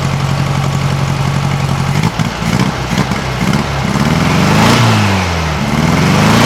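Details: 1956 VW Beetle flat-four on a freshly swapped Solex 34 PICT 3 carburetor, warming from cold: a soft, even low chug at idle with no exhaust ticking or puffing, then clean throttle blips. A healthy idle that still needs some adjustment.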